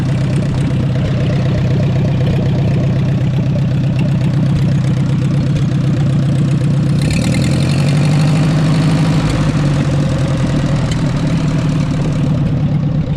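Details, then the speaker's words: 1944 Ford 2N tractor idling just after the generator belt was hooked up; it has no temperature gauge. A steady low idle carries an uneven knock at about four beats a second. The source can't be pinned down. "man it's so hard hard to tell not even here feel bad now something's going on I can't tell what"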